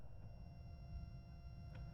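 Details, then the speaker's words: Gigabyte RTX 2080 Super graphics card fluid-bearing fan after cleaning out old grease and adding G-501 lubricant, run on a speed-test lead at low speed: soft, steady whir with no rattle, scrape or grinding; quiet, stable speed. "这个风扇也是非常安静的，一点声音都没有，转速非常平稳。"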